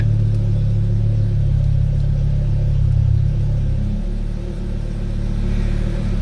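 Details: Rebuilt Audi RS3 DAZA engine idling with A/C on and exhaust flap open: a deep even rumble with a steady low beat and a slight dip and recovery in revs. Runs smooth, normal.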